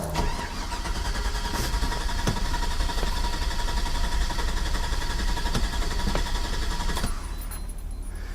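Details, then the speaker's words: Chevy 6.0L truck with an intermittent no-start on a weakening battery. Starter cranks steadily for about seven seconds with no fire; injector pulse present but no spark. Crank, no start, no spark. "our battery's dying and there is not spark to have control which i do an injection pulse and not have spark is highly unusual"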